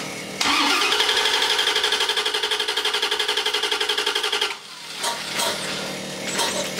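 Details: 1994 Corvette LT1 with aftermarket Optispark distributor, code 16 (low resolution), battery charger on, some spark present: steady starter cranking about four pulses a second for four seconds, engine never catches; crank, no start.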